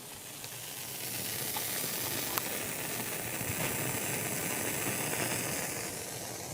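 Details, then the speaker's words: JVC VN-300 vintage amplifier after storage, volume near 2, all inputs: steady hissing static with irregular crackles and pops from speakers; cured by replacing 2SC458 tone-board transistors and a 2SC711 on the main board. "i turned it on then this was the static noise i was getting coming out of the speakers"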